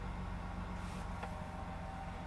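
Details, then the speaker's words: Used car at auction, 185,000 miles, just after a cold start: idle with uneven low thumping pulses instead of a smooth beat, running a little rough until it warms. "let's fire it up just for the heck of it o runs a little bit rough until you get it"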